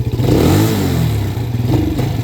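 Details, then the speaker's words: Can-Am DS90X youth ATV after idle and mixture screw set 1.5 turns out: idles well, but on revving the single-cylinder stumbles and sags mid-throttle before picking up; longstanding throttle dead spot, hesitation. "Let's give her a little rev check. Let's twist her here. Okay. Oh, little skip there."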